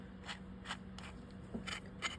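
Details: Shakespeare 2410 spinning reel being serviced with rotor removed: rough rasping grind with each crank turn, roughly twice a second; traced to worn pinion bearing.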